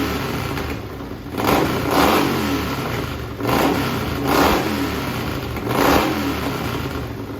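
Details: Racing lawn mower twin-cylinder engine on methanol: loud crisp blips up and back down about every two seconds, revs climbing cleanly without misfire to about 9,400–9,500 rpm; healthy.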